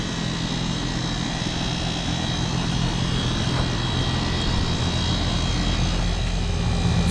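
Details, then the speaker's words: New 2022 Goodman air conditioner condenser, which replaced a vintage Magic Chef, hums steadily with a low drone and fan rush and no knocks, likely with a rotary compressor; recorded outdoors at about 96°F. "here's the new good one sounds like it's got a rotary"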